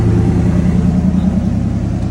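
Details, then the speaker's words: Engine of project "Krack Hawk", started after 13 years sitting with 2 quarts of fresh oil and bad fuel: steady fast idle without hunting; once warm it revs up to about 1200 RPM on its own. "It's been doing this whenever it starts to get some temp in it. It starts to rev up."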